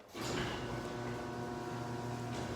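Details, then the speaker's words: Garage door chain opener running after its rails were greased: smooth, even hum and quiet chain travel with no squeal or grinding; normal operation. "this opener has already been lubricated the rails been greased let's see what this one sounds like"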